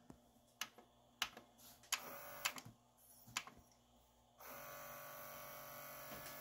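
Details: Adcom GCD-575 CD player, drawer won't open: separate clicks and clunks on eject, then steady thin motor whir with no tray movement and error; broken tray loading belt, fixed with new belt.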